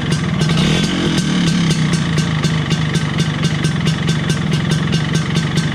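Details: 1983 Vespa PX125E first start after total restoration, engine overhauled with new crankshaft, 177cc cylinder kit, bearings and clutch discs: crisp, even two-stroke burble, steady beat, no knocks or rattles; healthy.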